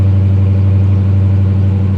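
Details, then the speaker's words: Repo car at Copart with 73,000 miles, idling after push-button start; deep steady even rumble, no knocks, ticks or misses, runs great despite flat back tire. "yeah back tire is flat but it runs great"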